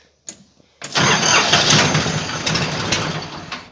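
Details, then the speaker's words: Diesel ATV pulled from a barn, cold start using glow plugs: short crank catches into a loud, rough, uneven clatter that slowly eases; hard cold start, needs more warming. "Oof. I think she needs a little bit more. She needs to heat up just a little bit. Oof, still in the cold."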